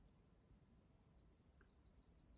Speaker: if I hit this button whatever button I push right you hear the beep listen right